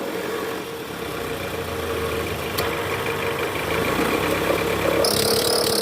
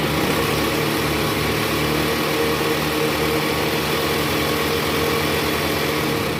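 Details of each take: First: Toyota Alphard ANH10, 2.4 L 2AZ engine, in R with AC on, revved to about 1100 rpm under load: rough growl with squeal from the right side, traced to a weak-spring fan belt tensioner, later replaced. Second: Toyota Alphard ANH10 (Gen 1) 2.4 L 2AZ-FE, after the weak fan belt tensioner was replaced: in R with AC on at about 1100 rpm, a steady even hum with no groaning or squeal, the noise is gone; a separate knock near the oil pan suggests a worn balancer shaft.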